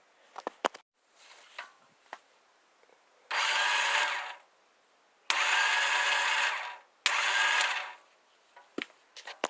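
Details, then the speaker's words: 1984 Honda Elite scooter: three short bursts of high, free-spinning electric whir with no engine turnover beneath them. The starter spins but isn't engaging the flywheel. "okay so in that clip i just showed you it sounded like the starter was engaging but it wasn't engaging with the engine or the flywheel"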